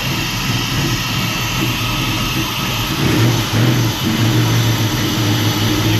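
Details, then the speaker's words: Truck with ACES EFI and Killshot timing control, cold start with untouched cold-start settings: lumpy, wavering low idle that bogs slightly, with lots of fuel spraying, running rich. It has been randomly dying while driving. "that's an awful lot of fuel spraying around in there I haven't done anything to the cold start settings at all"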